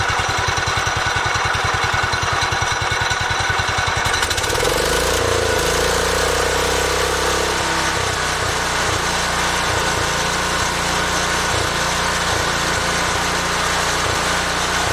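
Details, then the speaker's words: 1968 Cub Cadet 122 with 12 hp Kohler single-cylinder, running unchoked after carb adjustment: even thump at idle, then revs smoothly to a steady higher note with no misses. Normal running. "so yeah runs pretty nice I'll throttle it up a little bit so you can see"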